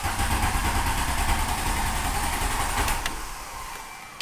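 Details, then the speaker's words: Volkswagen Golf diesel started after cycling glow plugs twice; steady low cranking churn fading without ever catching; diesel slow to start, unusual since it normally fires right up. "well that's strange usually it fires right"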